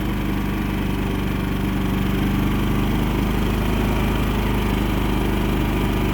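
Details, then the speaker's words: Champion 3100 dual-fuel inverter generator just after electric start, economy mode, no load yet. Steady, even low drone with a smooth uniform beat, no knocks or surging; normal clean idle. "So let's start it up. Fires right up, no problem."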